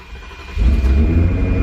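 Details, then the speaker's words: Salvage Ferrari 360 after its engine computers were repaired and the immobilizer was sorted: quiet, then the engine catches and settles into a strong, even low rumble with no misses, a clean, healthy start. "I know I'm sweaty I know I'm shouting but guys this is a working running Ferrari 360"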